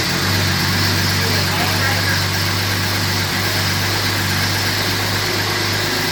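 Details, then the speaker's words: 2010 Camaro SS with turbo Vortec 4200 inline-six swap, just after its very first start, run briefly without coolant: even steady low idle hum, no knocks or stumbles; smooth normal idle. "well that went exceedingly well I was kind of amazed at how well the car started being that it was literally the first time we ever uh tried to fire the vehicle"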